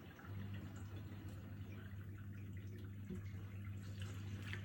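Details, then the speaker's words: Miele G7392SCVi dishwasher (AutoDos, new install) on Auto programme, filling then washing: steady low pump hum with soft water sloshing and dripping; very quiet, normal wash. "Not too noisy really, there's some water sloshing sounds, but I mean that's to be expected really. I think once the house gets busy or you have this on at night, I'm in open plan, but that is very non-offensive, it's super, super quiet."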